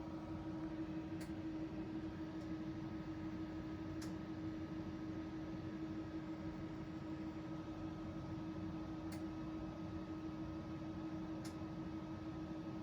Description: Ecoflow DeltaPRO latest firmware update .74 with the not yet fixed clicking sound. In this update it is actually more aggressive (ie cycles a lot faster) than previous FWs.